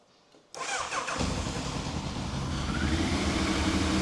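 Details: 1988 Yamaha FZ750 Genesis, fire-damaged, carbs rebuilt, cold start on choke using jump pack: brief silence, then catches at once and settles into steady even fast idle; normal cold start.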